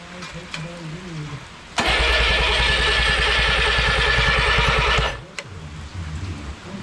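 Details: Original Renault 4CV engine (circa 1949-52, welded cracked block) reassembled after ~70 years in parts, first start attempt: steady cranking chug of about three beats a second for three seconds, no firing; cranks but won't start, compression seems present.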